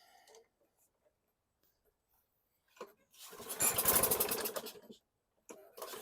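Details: Abused trade-in mower with automatic choke previously stuck open (suspected ethanol residue), air vane freed so choke springs shut: after a pull it catches and runs about two seconds before dying back; now fires with choke closed.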